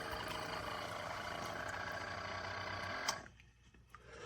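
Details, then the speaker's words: Chefman single-serve K-cup coffee maker brewing, rough buzzing hum with uneven flutter for about three seconds then abrupt cutoff; unusual noise, cause unknown. "That is a weird noise. Do you hear it? Uh, okay. I'm not used to that."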